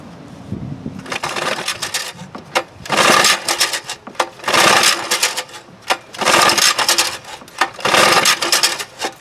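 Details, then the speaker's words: 1948 Montgomery Ward Sea King 5 outboard made by Gale, about 75 years old, carburettor rebuilt, coils and points swapped: repeated pull-start cranking bursts, never fires; owner thinks it isn't getting enough fuel, float rising sluggishly. "Okay, for some reason it's not getting enough fuel."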